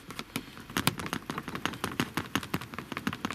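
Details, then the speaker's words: Land Rover Discovery Sport, approved used, while driving: light uneven tapping clicks, several a second, no engine behind them; seat belts slightly loosened through use rattling against the trim. "So it's like through use, the seat belts have become slightly loose, so they're more prone to rattling."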